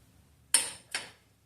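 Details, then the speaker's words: AC compressor clutch, new but unused for a year, energised directly from the battery positive with a jumper wire: two sharp clicks as the clutch engages normally. "I just want to touch it and you should be able to hear it clicking when that AC pump clutch engages"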